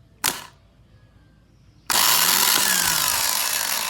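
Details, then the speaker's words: Toyota 4Runner starter, removed because it only clicked and would not crank, bench-tested with battery jumper leads after inspecting the solenoid side: a click, then a steady high-pitched whir over two seconds; starter spins freely and works. "Donc pour le moment, ça travaille."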